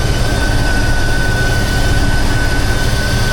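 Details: Newish but weak alternator loaded to about 300 amps with an extra battery supplied. A steady high-pitched whine holds over the engine rumble, the alternator working hard under heavy electrical load and sounding normal.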